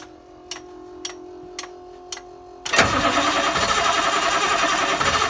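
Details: School bus (skoolie) in neutral after a Leece Neville alternator swap. Four slow starter ticks, then the engine catches into an even, steady idle with no knocks. It starts normally and charges between 12 and 15 volts.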